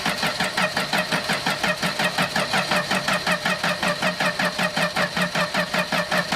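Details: 1984 Dodge Ram D100 slant-six truck with a 4-speed, two-stroke gas poured down the carburetor: the starter cranks steadily at nearly three turns a second with no firing; no spark because the coil wire was missing (stolen).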